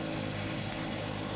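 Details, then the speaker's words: 2.5 hp air compressor, 230 L/min, 50 L tank, driving a needle gun for steel boat rust removal; continuous heavy drone, labouring flat out and unable to keep up. "As you can hear, the compressor strikes at the slightest use. That's a bummer."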